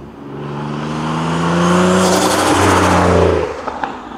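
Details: Single-turbo 370Z Nismo on a road drive after an exhaust-leak repair, on a hot day near 100 degrees. It pulls up smoothly with a clean rising note, then revs drop, with no ticking or puffing. Normal exhaust note, no remaining leaks, engine healthy.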